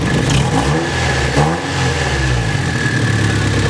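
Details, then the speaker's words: Nissan S14 recently retimed: engine picks up on throttle, then sags and stumbles, running rough and uneven, sometimes dying, with fuel smell; owner suspects a sensor, cause unconfirmed. "it only happens once it's even up that's what's causing me to believe it's that you can hear it like sucks around they like even worse"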